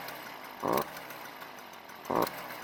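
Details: Stihl string trimmer that won't reach full speed, started with the fuel already in the tank: a thin two-stroke drone that surges briefly twice but never climbs to full revs; a carbon-clogged spark arrestor screen is choking the exhaust.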